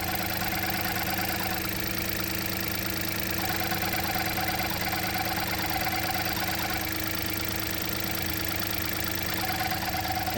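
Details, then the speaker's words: 2017 VW Up TSI petrol idling: fast, even knock-like rattle that sounds like engine knock, traced by hand to a loose engine part apparently removed at a service and not refitted correctly. "essa peça aqui, ó, que parece que é estirado para fazer revisão e não montou ela novamente certa e e ela tá dando esse esse barulho, ó. Ó, para você, parece o motor batendo, ó."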